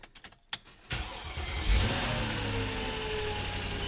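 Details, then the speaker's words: Mercedes CLK 500, 144,895 miles, start during a coolant leak repair check; a few clicks and a short crank, then it catches cleanly into a steady idle, a healthy start before leak inspection. "Fires up. All right, I'm gonna let it run for a little bit and go look for leaks."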